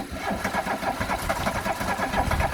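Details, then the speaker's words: Classic VW Scirocco Scala, first start after sitting 6 years, fuel cap off to vent tank: rapid even cranking with uneven puffs as cylinders try to fire but never run; fuel suspected, possibly too much. "I'm starting to wonder if it's getting fuel now it must be getting fuel cuz it's firing attempting to fire"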